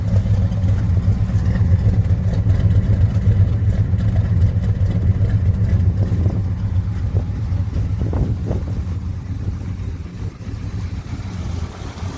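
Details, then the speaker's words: 1966 Chevelle SS clone, 327 small block V8, 4-speed, at idle: deep, even burble with steady lope, no ticks or misses; sounds healthy, normal idle. "we got it fired up sounds healthy it's a top notch car guys"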